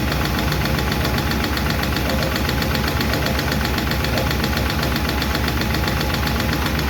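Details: 1951 Chevy truck engine at steady idle after starting, with fast, light valve clicking that keeps time with engine speed; number 4 intake and number 2 exhaust still have loose lash, number 2 seems okay; owner may re-adjust those two.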